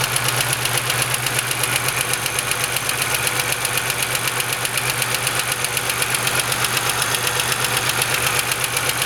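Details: GM 3800 V6 idling with a steady, sharp knock about four times a second over the engine hum.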